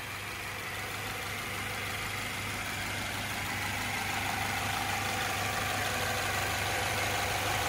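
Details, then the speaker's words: 2014 Subaru Outback, 93,000 miles, no check engine light, recently started cold, listened to in the engine bay: smooth, even idle with steady low drone, no knocks, ticks, stumbles or vibrations; normal idle. "so as you guys can tell nice and smooth running engine no odd noises or vibrations this thing is almosts like a top"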